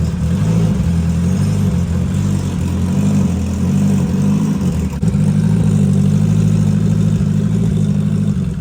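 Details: Race Civic with a new turbo, first fire-up: steady, even low idle with a faint spinning turbo hiss on top, no knocks or misses; engine sounds healthy.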